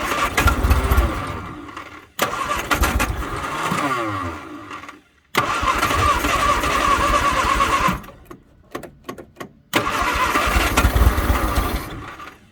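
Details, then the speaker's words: 1962 Vauxhall Victor first start attempt after sitting 25 years, after a quick carburetor job, a little gas added and battery charger connected: cranks, catches and stumbles in uneven, smoky bursts, dying between tries; running rough and running out of gas. "oh yeah oh she's trying [Applause] she's trying it's getting Smoky out here"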